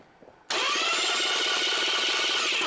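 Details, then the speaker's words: Starter after shims were removed and it was moved closer to the flywheel: steady, fast, even whirring crank with no grinding or clash. The pinion now meshes cleanly and it sounds a lot better. "In that case, you would remove some shims, and then go ahead and put it back down a little closer to the flywheel."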